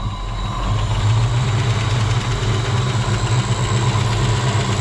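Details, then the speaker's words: Wrecked SN95 Mustang V8, first run on arrival: deep steady idle rumble with a fast light tapping from the top of the engine, valvetrain tap. "I don't believe it. It's got some really bad tap in the top."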